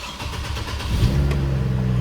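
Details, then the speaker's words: 2007 Isuzu Ascender that barely ran, with multiple DTCs (P0030 O2 heater, MAF circuit, throttle actuator, ignition 1 switch circuit). A relay was installed to restore 12 V at the MAF and codes were cleared. It now starts and idles smoothly and evenly, running much better. "She's running a heck of a lot better, man. This thing would barely run before."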